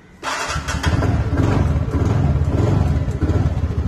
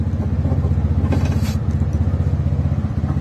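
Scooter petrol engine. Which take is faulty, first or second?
first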